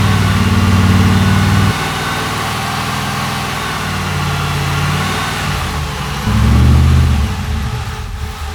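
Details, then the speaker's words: Nissan Patrol build on its maiden run, with fuel pump primed: catches and runs while the throttle is held, revs rise and fall, then it sags and fades when the throttle is eased. It won't idle; owner attributes this to the tune. "It purrs like a kitten, except it doesn't idle, but that's to do with the tune, so I've got to hold my foot on the throttle a little bit, and then she runs all right."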